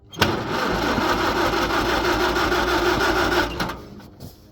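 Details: Farmall H tractor cranking after being flooded by choking; out of gear, throttle up, gas on; carb drained of gas but still won't fire. Starter turns engine over at even rhythm about three seconds, never catching: cranks, no start.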